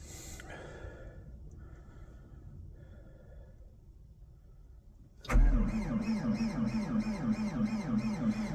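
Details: Diesel at -15°F, cold, not plugged in, fuel treated with Power Service before the cold snap: slow, labored cranking at about three compression pulses a second that never catches; cold crank, no start.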